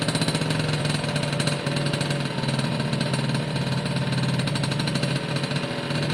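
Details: Suzuki AP50 two-stroke after carb clean, air box on, throttle blipped by hand (cable unconnected): buzzes, picks up and settles back cleanly without stumbling; smooth revving once choke sorted itself out.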